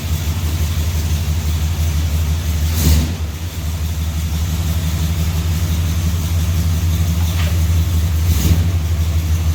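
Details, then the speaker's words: Dodge 400 big-block V8 after head removal for exhaust bolt hole repair and new spark plugs: deep steady rumble with two clean quick blips dropping straight back to even idle; healthy running. "so all right now that i see it outside on its wheels i kind of want it big block drive long bench it even sounds like something i would [Music] drive"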